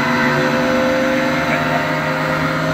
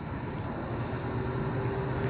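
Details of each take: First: About 14-month-old AAON unit, 1 HP 460V three-phase Baldor fan motor on a VFD, before repair: constant drone with a rough hum pulsing about four times a second; worn motor bearings, later replaced. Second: About 14-month-old AAON unit, 1 HP 460V three-phase Baldor fan motor on a VFD, after replacing bad bearings: quiet, even fan hum with no bearing growl or grinding, quieter than before; normal fan motor running.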